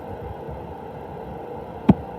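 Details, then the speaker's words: Sprinkler system being drained for winter by cycling each zone for up to 15 seconds from the controller, heard from the valve box: a low steady hum, then a sharp click as a zone valve opens normally. "And if you might be able to hear, I can hear the valves clicking in that box down there. So if I go next, then I heard it click."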